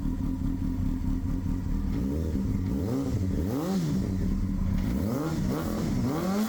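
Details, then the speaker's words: 1999 Honda Hornet 600, first run after a zener diode and resistor were wired into the anti-hotwire pink wire to fix a no-spark fault; gravity petcock feed, manual choke. Smooth idle with clean throttle blips, no backfiring, popping or knocking; running healthy. "no backfiring. No popping, no knocking in the engine."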